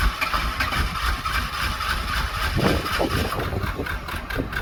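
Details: Small-block Chevy box truck with low compression, refired after refilling coolant (cracked part, water pouring out near radiator): uneven, lumpy idle with irregular stumbles, missing on some cylinders. Rough-running misfire; owners suspect head gasket.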